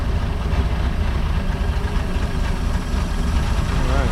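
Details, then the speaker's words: 1996 boat MerCruiser 4.3 V6, cold just after start with new gas, fuel pressure still building: deep, lumpy, slightly uneven idle not yet settled; later starts cutting out, cause unconfirmed. "just needs to warm up a little bit keep on going need that new good gas in it"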